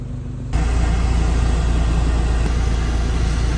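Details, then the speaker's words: VW Mk2 Jetta with swapped 1.8T engine idling warm, radiator fans kicking in around 91–92°C via temp sensor; steady even idle, low rumble with fan whoosh, no knocks or misses; healthy. "But if you look, there's the Jetta running away, ticking away nicely."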